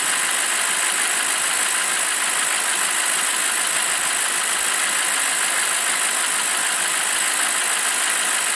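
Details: BMW 745i E65 V8 after a 2°C cold start whose clatter disappears after 1 min 20 s: now warm, smooth even hiss-like idle with no tapping or knocking, steady and healthy.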